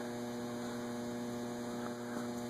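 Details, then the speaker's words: Antique Robbins & Myers 5-blade ceiling fan, newly installed, running on low: quiet, even low drone with no ticking, rubbing or wobble. Runs smoothly with a pleasing low speed, unusual for an antique. "Nice I mean, aesthetic. Okay, yeah. It's rare to get an antique with an aesthetic low."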